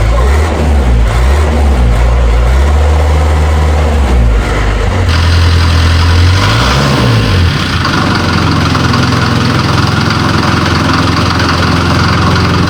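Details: Series 2 Land Rover diesel on first start in three years, running 3-year-old diesel after a new starter motor was fitted and the battery found weak. Loud, deep clatter that settles after a few revs into a steady idle without misfire: normal idle.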